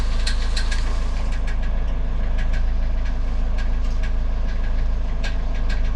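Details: Car with about 200,000 km, knock appearing after gearbox/variator replacement: light metallic tapping about three a second over a steady idle. It is not the crankshaft; flywheel teeth are suspected of catching on a loose bit of sheet metal.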